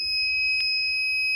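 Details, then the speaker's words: Microtek inverter showing overload: steady, high-pitched continuous electronic beep; suspected causes are a shorted wire or too much load, and the fuse at the back is checked for looseness. Inverter overload warning beep. "यहां पे यह overload यहां पे इस तरीके से beep sound आ रही है इसे आप कैसे बंद कर सकते हैं घर बैठे"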